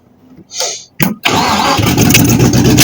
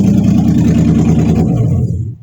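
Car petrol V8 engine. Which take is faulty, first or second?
first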